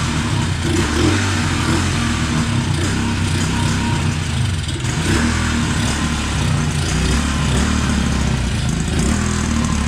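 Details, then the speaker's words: 2016 Tao Tao 110cc pit bike runs lumpy, revs wandering and jumping as sprayed carburetor cleaner is sucked in; won't hold mixture, likes high idle, idle screw ineffective. Bad intake gasket drawing air causes rough idle and surge; head gasket also leaks. "that thing sounds like it's running a little bit rough yeah but so what's happening is the engine sucking in that carburetor clean cleaner and acting as a fuel and making those RPMs jump up so that gasket is is bad"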